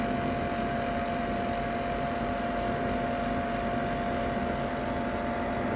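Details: Ninja Foodi 8-in-1 cooker running cold, though the owner says the unbearable noise comes after it warms up: constant loud drone of rushing air with a steady mid-pitched whine; far noisier than normal, cause not evident.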